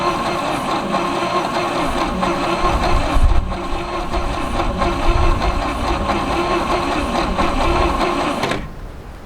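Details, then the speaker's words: 1967 GMC C20, 305 big-block V6 stuck for at least 7 years, freed with breaker bar and lube: starter cranks at an uneven ~4 beats/s with some dragging, no firing yet. "doesn't sound horrible let's try manually again I mean it goes the whole way over that hard spots gone"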